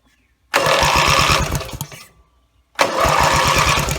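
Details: Rebuilt Briggs & Stratton mower (carb rebuilt and filling, timing dots aligned, valves seated, compression unknown) gives two pull-start cranking bursts with a quick chuffing rhythm and never fires; gas later leaked from the muffler bottom, and the owner suspects it isn't getting fuel.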